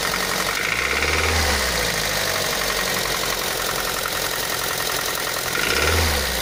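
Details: Daihatsu Pyzar engine with an irregular ticking knock, roughly three or four per second, over a busy idle with some hiss; an internal knock of unknown cause.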